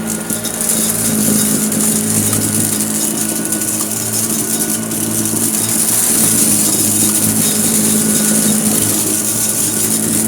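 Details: Hoover Junior U1034 Exclusive vacuum, as found and untouched, running on carpet: a steady, even motor hum with a constant pitch and no rattles or surging; the motor runs smoothly and sounds healthy.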